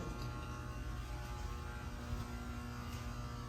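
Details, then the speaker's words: Dynapower SD-24 500 A 9 V water-cooled, filtered rectifier on 480 V 3-phase, started with volts and current rising: steady low even hum, no buzz, crackle or surging; normal, zero ripple shown. "And we'll start it up here so you can see and hear it go. See the volts and the current rising."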